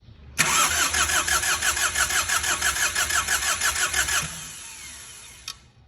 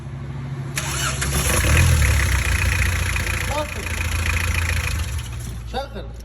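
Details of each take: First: Diesel engine (4D56/D4BB/D4BH/2L/3L type) cranking steadily at about three compression beats a second for about four seconds without catching; hard start, fix proposed by advancing fuel pump one tooth. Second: Diesel engine (4D56/D4BB/D4BH/2L/3L-type) after fixing a hard start by advancing the injection pump timing one tooth: two brief cranks, each catching almost instantly into a steady idle. Prompt start, no hard-start drag.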